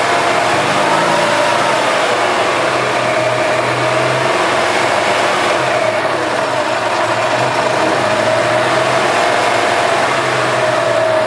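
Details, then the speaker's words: 2007 EZ-GO TXT gas golf cart, single-cylinder engine after full service and new battery, runs steady and even with a mid-pitched drone, no knocks or misses; smells a little rich, possibly burning some oil from wear; normal running. "okay and din sounds good smells a little rich so it's probably like it's burning a little bit of oil - it's probably wore out"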